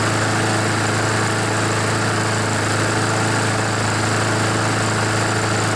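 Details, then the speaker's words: Honda GCV-engined mower that smoked and wouldn't start after oil soaked the air filter; after warm-up the oil burns out in a minute or two and the engine settles into a steady, even, healthy drone. "so you can see it only took a couple of minutes maybe just one minute one or two minutes for all that oil to burn out"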